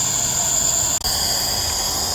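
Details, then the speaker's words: DAF LF45 bus, brake pedal pressed: constant sharp hiss of escaping air from an unidentified brake system component; large air leak when braking, part not yet identified. "This thing here. Don't know what it is, but that's what's causing the leaks. the brakes are pressed."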